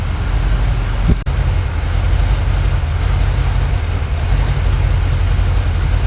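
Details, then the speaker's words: 1980 Camaro 2nd gen, freshly built Chevy 5.7 (350) V8, idling indoors while being backed off stands: deep, steady, even rumble with no knocks or misses. Normal idle; an oil leak near the transmission inspection pan was found afterward. "I'm gonna back it off these stands let it idle it's hitting level so that is what I'm gonna do now"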